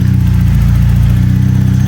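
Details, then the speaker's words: BMW E36 M42 running after cleaning the idle air control valve for long cranking. It started a little easier, popping once, which the owner blames on leftover cleaner. A deep, steady, even four-cylinder run with breathy intake; running smoothly. "but it started a little bit easier other than it it popped once but I think that was the cleaner again um so this sounds pretty neat"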